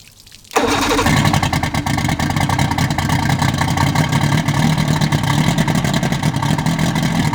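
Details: Evinrude 150 XP outboard, abandoned, after trigger/timer base replacement: catches and runs with an uneven, stumbling beat, not a clean idle. Runs but not well; carbs need linking and syncing, pickup and wide-open-throttle timing need checking.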